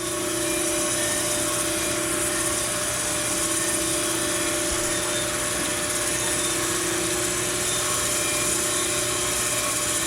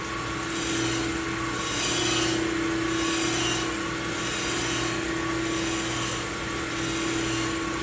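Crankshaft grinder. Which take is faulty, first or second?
second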